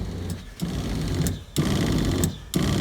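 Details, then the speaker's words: RV water heater bypass valves (Camco kit) set to bypass for winterizing: the water pump buzzes in short bursts about once a second and never fully shuts off, because the bypass valves were installed backwards. "so it's never fully shutting off and I thought well that's that's really odd so what I find out is after doing a bit of research and looking is they put the valves on backwards"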